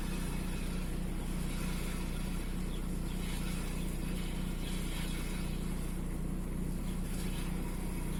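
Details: VW 1.9 TDI AXR diesel idling roughly with a deep, uneven throb and slight stumble; fault code 16688/P0304 cylinder 4 misfire, intermittent; cylinder 4 deviation of 2.99 mg.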